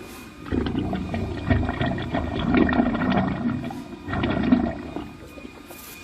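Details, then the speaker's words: Drain cleaning machine cable running through an exposed French drain line being cleaned back toward the catch basin: rumbling, growling surges come and go as the spinning cable works through; the line is open and running freely. "So when you hear that noise inside your pipe, that's a good sign."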